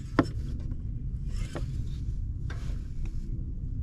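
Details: Modified 600 hp 2V SN95 New Edge Mustang GT at idle: a few sharp clicks and taps as the clutch pedal goes down; clutch pedal assembly making contact under the dash, clutch cable to be replaced.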